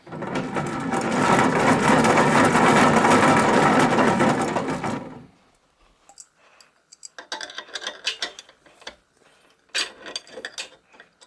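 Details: Keys Fitness Discovery 6.0 exercise bike, pedal removed, crank turned by hand: dense gritty grinding and rough ratcheting of a worn crank bearing, before bearing and drive belt replacement.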